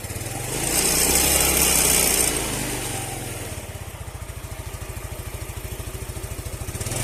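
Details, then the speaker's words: Yamaha Mio Sporty scooter idling, steady even pulse near 200 per minute with a high squeaky hiss over it, reported squeaking from the CVT area; CVT squeak. "Kali ini kita kedatangan satu unit sepeda motor, yaitu sepeda motor Mio Sporty yang ada suara encit-encit di bagian CVT."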